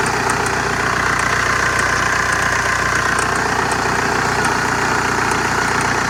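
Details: Strange metallic chirping on a 2003 VW Jetta ALH TDI, 5-speed manual: steady diesel idle with faint, irregular high-pitched metallic chirps ticking over the clatter; source not pinned down.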